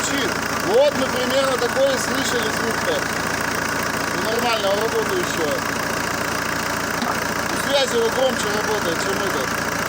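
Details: ZMZ-514 Euro 2 turbodiesel after repair for knocking, head refitted: steady, even diesel clatter at idle with no deep rhythmic bottom-end knock; engine running normally.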